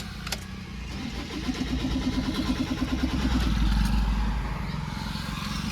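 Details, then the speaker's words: Toyota Fortuner no-start with no DTC and no check engine light: even starter chug of about three beats per second that never catches. Cranks but won't start. "चलिए देखिए ये देखिए crank किया कुछ नहीं आया।"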